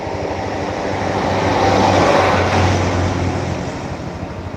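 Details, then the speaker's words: Yamaha Mio Z scooter after an engine overhaul for rapid oil loss, reassembled and started at the shop: small single idles smooth and even, soft steady beat, no knocks or rattles; normal idle. "Mari kita coba menyalakannya dulu, teman-teman. Inilah suaranya setelah kami melakukan servis dan perbaikan."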